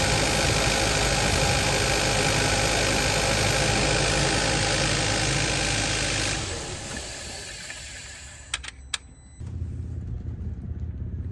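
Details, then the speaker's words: 2015 Kia Forte 1.6 GDI after replacing a coil found bad for multiple misfire codes: engine settles into a smooth even idle with no stumble or missed beats; all cylinders firing, healthy. "Things happen, but we're running perfect."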